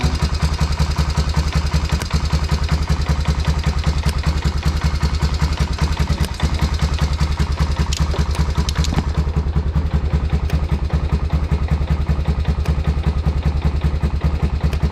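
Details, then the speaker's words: 1990 Honda Foreman FourTrax 350 ATV at cold start: steady idle with a light, fast tick on top, about two to three per second, still present after work; cause unclear, owner says it runs great. "That's still ticking. So you can kind of hear that tick at first there."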